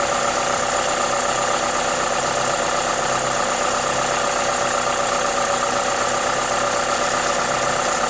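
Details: Toyota 2ZZ-GE engine at normal idle: even, steady rhythm under a loud airy hiss from the induction kit, no knocks or misses; healthy running engine.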